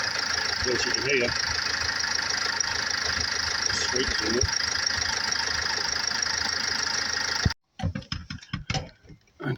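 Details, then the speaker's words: Range Rover Evoque 2.2 diesel, 78,704 on the clock, started to show it's a good engine: smooth even idle, steady clatter, no knocks, misses or hunting; healthy. "Here I thought I'd just start this engine, just let everybody hear it know it's a good engine."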